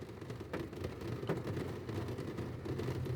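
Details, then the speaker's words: Nissan Tiida C11, HR15DE, after radiator install, throttle body service, MAF cleaning and TPS calibration for P0507 high idle (was 1,600 RPM): quiet, low, steady idle hum with no hunting or surging at about 713 RPM, coolant 95 °C; normal idle. "so we're down to about 713 RPM, coolant temperature 95 degrees."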